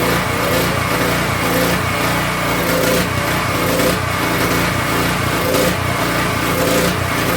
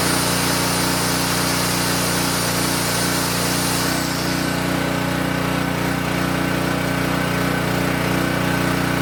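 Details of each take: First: King Canada 3000 W generator, no air filter fitted, loaded with a heat gun and making good voltage: engine note swells and sags roughly every second; hunting, owner plans to cure it with a new air filter setup and a new crankcase tube. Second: King Canada 3000 W (2,300 W running) generator after repair and new air filter setup, run before load test: steady, constant-pitch drone with no misses or surging throughout; running smoothly.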